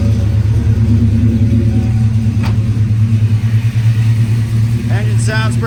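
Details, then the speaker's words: Idle right after an oil change with 5 liters added, started in neutral; smooth, low, even rumble with no ticking or knocking, outdoor chirps at the end; sounds healthy. "pretty healthy right now."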